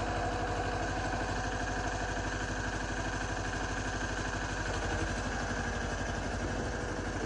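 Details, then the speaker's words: Yanmar 1500D diesel tractor after fixing three-point lift (backwards hydraulic filter causing pump cavitation, new O-rings), lifting snow blade: even thrum about three beats a second, no pump whine or gurgle; hydraulics working properly. "so needless to say the three-point hitch is finally working and i couldn't be happier"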